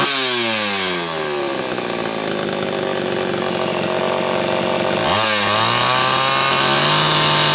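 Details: Homelite Super XL chainsaw test run after fixing a loose cylinder nut (cylinder gasket issue) and filing and gapping the points. Crisp two-stroke wail climbs to full revs, holds steady cutting, drops and picks up without bogging; healthy, retune from slightly lean.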